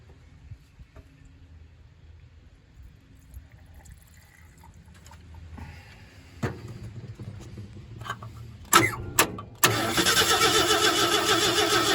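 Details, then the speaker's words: 1968 Ford F100 V8 that last ran in 2001: after sharp cranks with spark restored at the points, it catches and roars only on lawnmower fuel poured in; fuel supply suspect. "Drop some of that lawnmower fuel in there. Yeah, she wants to run."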